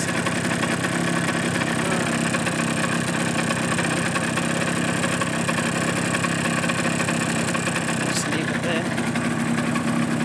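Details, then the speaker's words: Suzuki GP100 two-stroke on a test rig, second test after float adjustment, run until fully hot; steady idle with hollow fast rattling knock on every beat; piston slap as clearances grew, rebore and new piston planned. "I've actually been able to run it long enough for everything to get hot and all the tolerances to be walkin em or to the maximum they'll get"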